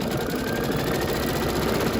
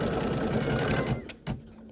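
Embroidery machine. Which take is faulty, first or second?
second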